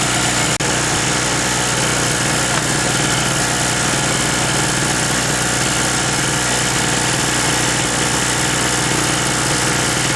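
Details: King Canada 950W two-stroke generator, long-sitting and previously non-starting, restarted after the loose spark plug was tightened, running at no load: steady, even buzz at constant speed with no surging or misses; residual deposits possibly burning off; running properly.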